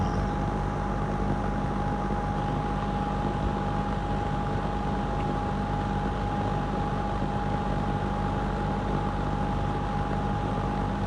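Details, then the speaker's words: Lakewood P25 metal-blade box fan, barely used since 2009-2010, window exhaust heard from outside, on high: steady airy rush, constant low hum and faint steady tone, blades chopping air; normal running. "Just hear it chopping that air. Thing is so great."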